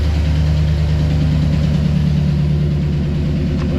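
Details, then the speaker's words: 2008 Chevrolet Silverado V8 with AFM/DOD, before delete-kit repair: idling with light steady tapping over the deep rumble, common lifter tick, louder on one bank. "So, this one is pretty much the most common lifter tick sound that you can get."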